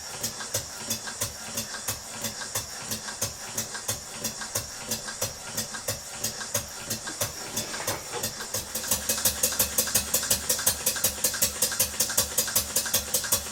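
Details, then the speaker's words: Stuart beam engine on compressed air after fitting a new bronze big-end bush on the connecting rod and lubricating: even exhaust puffs about two to three a second, speeding up slightly, no knocking or clatter; runs smoothly. "It's an old engine with one or two minor problems down to the engineering and what have you, but it's okay."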